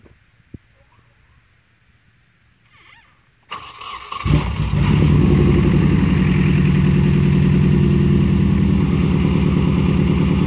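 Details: Nissan 240SX S13, KA24DE, after fixing a leaking injector: engine cranks, catches and settles into a low, slightly lumpy idle; one cylinder still seems not to fire, owner suspects the injector still leaks and may replace O-rings.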